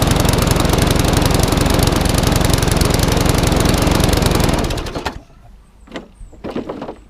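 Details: Classic Briggs & Stratton 3.5 hp mower engine (red one, had been tipped on its side) runs steady, fast, even, then shuts off after five seconds; a little under speed and slightly lumpy, owner may change the top governor spring.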